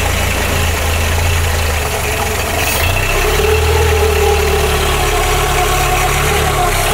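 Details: Engine restarted after coolant purge, idle, 13.7 °C outside; over a steady idle a faint singing whine, a pulley at the timing belt, owner suspects the belt may be slightly overtensioned; normal carburetor intake suction, breather also blowing abnormally.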